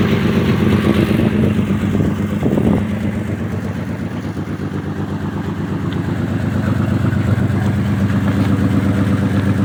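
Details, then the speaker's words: Pontiac Grand Prix; steady idle with faint even puff-and-tick about three times a second, still spitting exhaust, quieter than before but leak remains. Exhaust leak. "Definitely still sounds like there's an exhaust lead."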